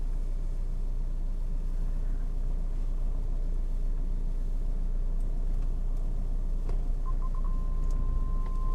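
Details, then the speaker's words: BMW E60/61 5 Series cabin while driving, after re-securing loose centre dash brace bolts (drilled, tapped M10, Loctited): steady low road rumble with no creaks or ticks from the dash; creak gone. "I can tell you already it's gone [Music] yeah it's gone"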